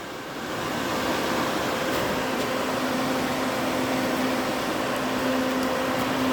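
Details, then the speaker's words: DA Integra electric cooling fan cycling back on, relay click heard, new 30A relay with factory OEM fan switch, engine off: spins up to steady airy rush, faint constant hum, no rubbing or ticking; normal. "as you can hear the fan cycle back on that click you heard would have been the relay"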